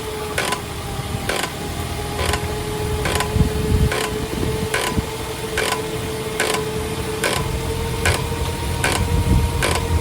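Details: Toyota Avanza Veloz automatic: sharp even knocks about once a second under light braking from a warped brake disc; fix is resurfacing the disc on the car without removing it.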